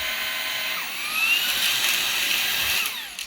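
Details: Perrysmith vacuum after repair: motor had kept jamming and stalling from clogged hair; cleaned, drilled and bearing adjusted back. High, clean motor whine climbs smoothly, holds steady, then winds down; no rattle or grinding, motor sounds healthy.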